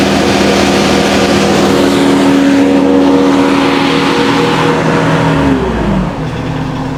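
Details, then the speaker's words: Kubota skid steer diesel at high idle, hydraulic fan motor that rattled badly the day before: loud, steady drone easing down at the end, no rattle, smooth and quiet; normal high idle, cause of earlier rattle unknown. "I'm going to turn the volume up one more time. It's just as smooth and quiet as can be."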